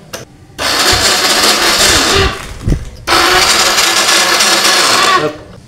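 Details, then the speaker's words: Honda Revo X motorcycle cranked but won't start: starter spins in two long, even bursts with no compression pulses, loose like lost compression. "nah ini engkolannya Los Pak jadi seperti hilang kompresi ya"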